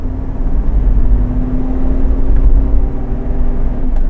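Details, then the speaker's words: 1997 Toyota Land Cruiser VXR turbo diesel, automatic, stock, under acceleration: steady deep pull with a clean, even drone, no whistles or knocks; good turbo response, healthy well-maintained engine. "Respons turbo juga masih bagus. Artinya, mesin ini telah dirawat dengan baik."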